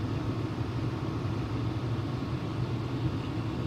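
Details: Home furnace after draft inducer motor replacement, igniter lit and blower running: low, even rumble with smooth airflow and no rattle or whine, much quieter than before the repair. Normal running.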